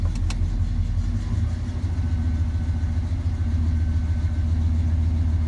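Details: Square-body truck cold start in snow with thick oil and unrepaired choke, a couple of throttle pumps squirting fuel: uneven, lumpy low idle that sags and recovers; rough cold idle from the faulty choke.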